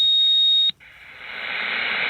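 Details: Radio receiver on lower sideband: clean steady high whistle holds, then drops to plain hiss when switched to upper sideband, AM or FM; unexplained carrier tone interfering with reception.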